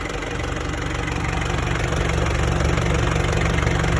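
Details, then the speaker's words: 1994 Isuzu Panther diesel never overhauled, thermostat refitted (previously missing), coolant 82 °C: even idle clatter with steady low rumble, no irregular knocks, no smoke; engine sounds healthy. "Bersih ya, ini dari masih orisinil. Molong mesin nggak ngasap."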